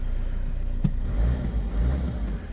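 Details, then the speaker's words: Peugeot/Citroën 1.6 HDi (BHY) diesel, after replacing faulty thermostat housing with integrated electronic module causing P2669/P2670 no-start: cranks briefly, catches right away, steady deep even idle, no knocks; starts normally, warning lights still on. "Okay, so we got some warning lights though, but it now starts like it's supposed to."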